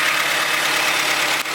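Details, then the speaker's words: Honda CRV idling after a timing belt repair, power steering reservoir just refilled: smooth, even hum with no pump whine or groan. The pump's earlier noise came from running empty; power steering now normal. "Power steering was making noise because it was empty. No more noise."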